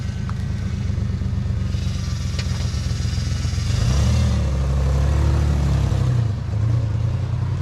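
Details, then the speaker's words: 97 Mustang V6 after engine rebuild with replaced bent rod, dual Flowmaster exhaust: smooth deep burble that swells cleanly with a rev around four seconds and settles back, no knocks; normal running. "oh yeah that sounds so much better it's got some dual flowmasters in there they were already in there when we got it and uh now that we got it hooked up it actually sounds pretty good that's nice"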